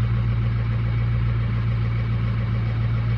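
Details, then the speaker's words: 2006 Ford lariat diesel truck, 146,000 miles, warming up: steady low idle with uneven lumpy beat; injectors four and two reading low even with compensation off, failing injectors, replacement considered. "let it get up four and two are still low they're still low I mean this is a tough one right here because it's very likely that we can replace these two"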